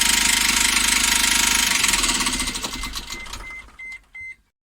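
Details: Engine after sudden noise during highway driving: sharp, even metallic knocks about three and a half per second, slowing as it winds down; suspected bottom-end bearing (metal) failure, not confirmed.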